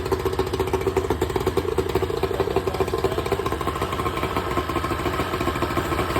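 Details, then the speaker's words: Tohatsu 70 hp EFI outboard on a water hose, not under load, after replacing intake manifold, reed cage and front cover gaskets to fix a suspected vacuum leak causing high idle: steady, even putter at a settled low idle with no surging. "Start it. Wiggle the shifter. Okay, running pretty good, right?"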